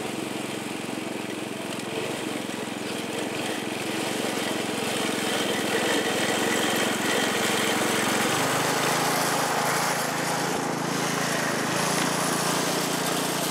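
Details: California Trimmer mower, single-cylinder engine, after the carburetor was fine-tuned to stop surging, mowing dead grass under load; steady, even drone with no hunting or surging; running properly.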